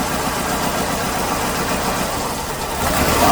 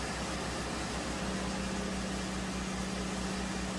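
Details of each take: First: 2008 Hyundai Accent 2.0 at idle: lumpy, stumbling beat from a misfire. Mode 6 pointed to cylinder 2, but unplugging coils traced it to a failed coil on cylinder 3; the plugs were worn. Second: 2008 Hyundai Accent 2.0 after repairing a misfire traced to a failed cylinder 3 coil and worn plugs: a steady, even idle with a smooth low rumble and a faint constant hum, no stumble.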